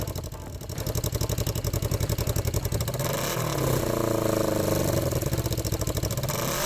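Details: Yamaha XS650-based twin scrambler with a home-welded custom 2-into-1 exhaust and new port gaskets: a steady idle thump, then a clean rise in pitch on revving, no puffing or ticking; normal exhaust note, sealed.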